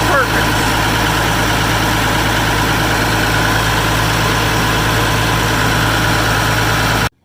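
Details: Massey Ferguson 550 diesel tractor restarted on weak borrowed combine batteries after priming, red knob pushed down: even, steady diesel idle with smooth low rumble, no knocks or stumbles, then abrupt cutoff; fuel system appears up and running.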